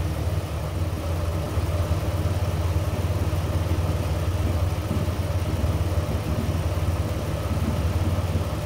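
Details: BA Ford Falcon RTV ute with intermittent cutting out and no fault codes, monitored with scope: steady low idle with slightly uneven pulse, running rough then stalling; a failing MAP sensor found as the cause.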